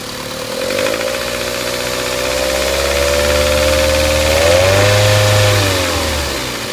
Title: Engine knock